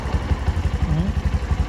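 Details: Bajaj BS6 petrol engine, low mileage, idling after a rebuild for a failed crankshaft bearing (connecting-rod bearings were fine; two bearings pressed in; not rebored). Steady even putter, regular low firing pulses, no knock or rattle: healthy idle.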